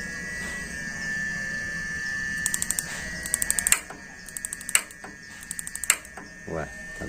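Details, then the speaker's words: Modena gas water heater with a universal replacement module: bursts of sharp igniter ticking with pauses but the burner never lights; spark leaks to the body, possibly from moisture after washing, or the electrode needs replacing. "Kebocoran ini mungkin terjadi karena basah akibat pencucian. Nah, di dekat tubuh, alat itu bisa menyala. Ia mengalami kerugian. Kalah karena kebocoran ini."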